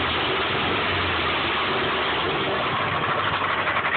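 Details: 1995 Subaru Impreza at idle: fast light ticking knock at about four per second over a steady hum, rod knock from a worn connecting rod bearing persisting after an oil change and additives.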